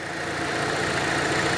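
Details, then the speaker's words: Volkswagen Polo 1.6 at idle: constant airy hiss over the engine note from an open, leaking vacuum port sucking unmetered air, causing uneven running; hiss changes when half covered, port to be repaired. "Burada da bunun şöyle emiş giriş çıkış yeri var vakum yeri yani burası Bak Kaçak var burada yani Burası açık böyle duruyor duyuyor mu sesi hiç bak yarım kapatıyorum ses yapıyor zaten Burası böyle açık olduğu zaman tabii ki yine dengesizlik yapacak"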